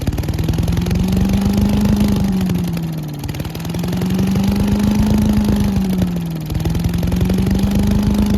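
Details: Old Giant Vac leaf blower with 1982 8 hp Briggs & Stratton engine, stored outside, after water cleared from fuel: steady buzzing tone with only slight waver in speed; runs clean and even.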